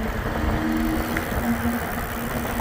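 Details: Engwe fat-tyre e-bike rear hub motor wheel after replacing worn freewheel that had bearing play and caused bad cracking: steady low hum, no cracking or clunking; freewheel runs smooth and quiet.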